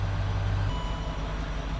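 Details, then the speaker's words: Range Rover Sport with known air suspension problem, idling after the compressor ran then quit: short run of quick electronic chimes as the suspension fault warning and icon appear. "and there we go suspension fault and we've got the little suspension icon fault thing pop up"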